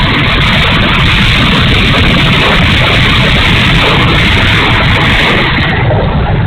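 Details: E-flite A-10 Thunderbolt II twin 64mm ducted fan, bad motor: loud steady roar, coarse and fluttery instead of a clean whoosh; fan runs rough, cause not yet found.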